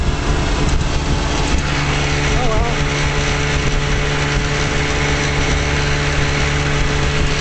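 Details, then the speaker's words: 1956 Johnson Javelin RJE-18 30HP two-stroke outboard on 14ft Viking runabout at wide open throttle, about 4500 rpm by tachometer: steady high-pitched buzz over water noise, no misses or knocks; pulling cleanly. "See my tachometer here about 1,500 multiplied by three about 4500 which is wide open throttle."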